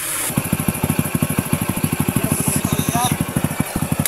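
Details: Small single-cylinder motorcycle that had misfired and wouldn't run, now running on a different CDI: even, steady firing pulses at about eleven per second with no misses or stumbles; smooth normal idle.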